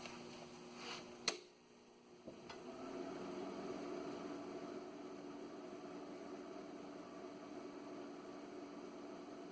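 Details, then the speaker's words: ALS 600 amplifier power supply (built late 1990s) after replacing the noisy, roughly 20-year-old fan with a Noctua NF-A8 PWM: after a couple of clicks, a low, steady, very quiet fan hum. The fan is running normally. "and there you have it a whole lot quieter there"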